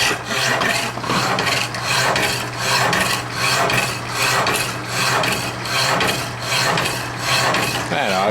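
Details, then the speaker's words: Hacksaw cutting steadily with even back-and-forth rasping strokes, about 78 a minute, no catching or chatter; cuts pretty fast, roughly 2–3 minutes to cut through; normal cutting. "You might have to let it go, because it's gonna swing back and forth a foot. Yeah, it actually cuts pretty fast."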